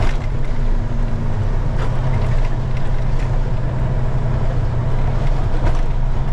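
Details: 2000 Freightliner FLD120 diesel semi pulling away in first gear with fan clutch engaged during solenoid check: heavy constant deep roar of the locked-in cooling fan moving lots of air.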